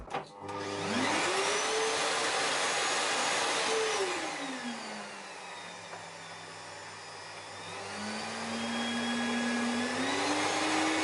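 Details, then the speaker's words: Samsung SC4181 vacuum cleaner after motor repair for humming bearings, weak suction and vibration; motor spins up smoothly, drops to low speed, steps back to full speed, confirming good suction and a working speed regulator. "тяга хорошая регулятор работает"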